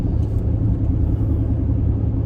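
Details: 2014 Mercedes-Benz GL350 (X166), ~93k miles, at cruising speed: steady low droning cabin roar with no rhythm; Michelins oddly worn, left rear worst on inside, wrong size; rotation brought no change; tires/alignment or wheel bearing suspected, unconfirmed.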